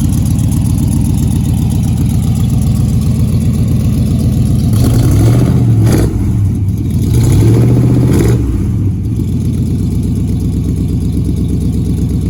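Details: Ford Model A sedan hot rod with hand-made stainless headers and exhaust, first brief fire-up on gas poured in carb, header paint cooking: steady, even low burble with brief throttle blips, exhaust smooth and sealed; normal idle, much quieter than before.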